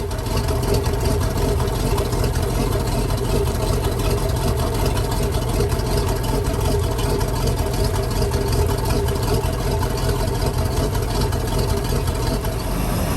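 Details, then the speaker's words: 1997 Maxum 2300 SC inboard boat engine, back home after two months of shop repairs with many new parts: loud, steady, even low rumble with no misses or knocks; normal running. "as you can see motor is running very very strong of course that's not without dropping a little bit of money in this project to bring the boat back to I guess what you call it former glory"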